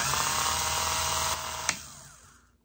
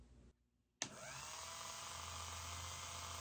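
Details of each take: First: Elson-USA watchmaker's lathe, freshly rebuilt, spinning a 1/8-inch brass piece in a Jacob's chuck, top coming down toward the operator: light, steady spindle whir with no rhythmic rub or chatter before winding down; running smoothly and true. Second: Rebuilt Elson-USA watchmaker's lathe on its first cut, hand graver turning a 1/8-inch brass piece: quiet steady low hum with a fine rattling buzz over it as the cutter chatters against the work; operator calls it chatter, cause suspected, not confirmed.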